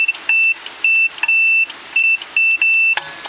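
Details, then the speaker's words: Old British Venner wind-up time switch, 15 A 250 V, possibly early 1970s: multimeter on continuity across the main switch contacts gives a steady high-pitched beep in about seven uneven bursts as probes touch; contacts are clean. "so i get my meter here set on continuity just see how um clean the contacts are"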